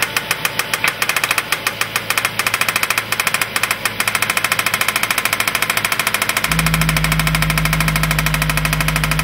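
Steady idle with a sharp regular tick about three times a second riding over the engine, a clear knock but no cause pinned. Cause suspected, not confirmed.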